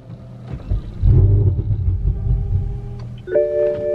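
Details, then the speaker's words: BMW M5 after fitting a new sensor from FCP Euro, key start: engine catches with a short rumble after cranking, runs about two seconds, then stalls; fires but won't keep running. No wiring issues then found at the DME. "damn it like started it started and it turned off"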